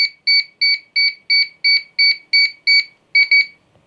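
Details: DJI Air 3 drone after core board repair, pairing with the remote controller: clean, evenly spaced high double-tone beeps at about three a second, then a quick pair at the end; pairing normal, no error message.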